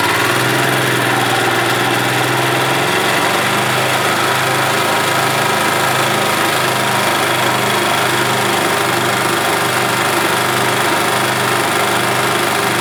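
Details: 1991 Yamaha G8 gas golf cart engine after carburetor cleaned of junk and worn-out fuel pump replaced, mixture screw adjusted; steady, even idle with a low note that shifts slightly early on, then holds smooth: running as it should.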